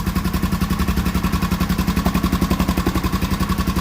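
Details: Old Honda XR/XL 500R single that stood in a yard for 2–3 years, running after revival work: an even, deep thumping at about eleven beats a second with every firing steady. It is idling cleanly and healthy.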